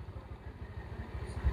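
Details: Old Yamaha Jupiter Z at idle, throttle not opened, smoking heavily and using all engine oil within two weeks: low lumpy idle with uneven thudding pulses — scored piston and cylinder, piston replacement planned.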